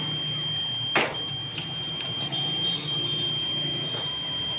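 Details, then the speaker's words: 70cc motorcycle that loses spark/current when hot, meter on the kill switch wiring with the switch on: steady continuity beep flickers and changes as the handlebar turns; intermittent short in switch wiring is the fault, cutting the white and black wires bypasses it. "सोच भी लगा हुआ है तो फिर भी यह beef की आवाज आ रही है। हालांकि ये तो नहीं आनी चाहिए। नुक्स तो यही है ना करंट ना आने का।"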